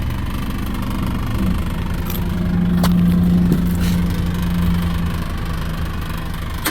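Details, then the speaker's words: 2019 Ford Edge SEL, 2.0 L EcoBoost turbo four-cylinder, 8-speed automatic, pre-purchase inspection, cold start with phone in the engine bay: a loose, buzzy exhaust rattle heard at the rear, possibly something loose in the muffler. "We're going to give it a cold start. I'm going to put the phone in the engine compartment here. So, I'm hearing an exhaust rattle back here."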